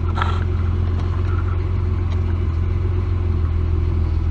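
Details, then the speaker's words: 1999 Ford Explorer 4.0L SOHC V6 in closed loop idles with a deep, uneven rumble; rough idle, long-term fuel trims around 20% on bank 2 and high on bank 1 point to a vacuum leak, later found with a homemade smoke machine. "can tell it's running running pretty bad it's got a rough idle you can tell right away"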